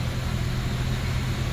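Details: 2012 Honda CR-V 2.4L after replacing leaking intake hose for lean code, code cleared, no engine light: smooth even low hum with no stumble or hiss; normal idle after repair.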